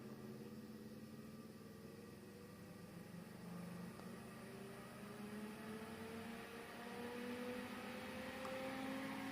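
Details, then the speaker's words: Quiet, steady whir rising gently in pitch as an industrial 220-235 V AC fan on a variac speeds up with increasing voltage, with no rubbing or ticking; a healthy fan. "you can really start to feel the cooling effect or the airflow of this fan and the noise"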